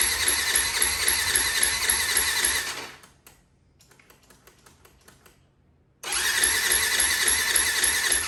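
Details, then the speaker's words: 2004 Yamaha WR450 carbureted single, choke on, electric starter spins it a steady three to four beats a second but it never fires; carb float needle stuck, no fuel flow, later freed by opening carb drain and tapping. "Let's put the choke on. Couple blips of throttle. Let's see if it'll start with the kickstart. Nothing."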